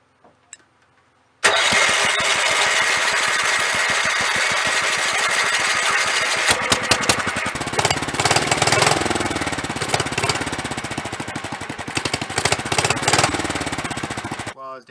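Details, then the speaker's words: 1983 Avenger 400 ATV, 318cc Kohler K181 8hp single, new fuel lines, clean ethanol-free gas, carb primed, on choke with throttle held at fast idle: starter spins with quick even chuffs about thirteen seconds but never fires; points then checked. "let's put it down on choke this is the throttle so I'm gonna hold the throttle the fast idle and we're gonna try to crank it up"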